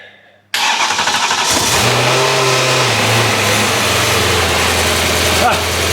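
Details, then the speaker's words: BMW E30 M3 track car, S65 engine, first start after rod bearings and modified oil pan: catches quickly and settles to a steady even run with no knocks or rattles, 6.5 bar oil pressure; normal start and run. "6.5 bar. It sounds about right. Doesn't sound terrible."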